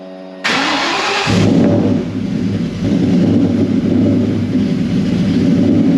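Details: Whipple-supercharged 2003 Ford Mustang Cobra, started right after installing new NGK TR6 spark plugs to check the idle: crank and catch, then a loud lumpy idle pulsing about four times a second; runs, but any idle improvement is unclear.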